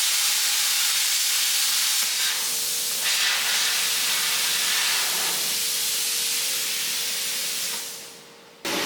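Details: Jegs 40 A plasma cutter set to 30 A, air at 60-70 psi, cutting steel plate with about 1/16 in kerf: loud, steady rushing hiss of the arc, even and uninterrupted until it stops; cutting normally and quickly.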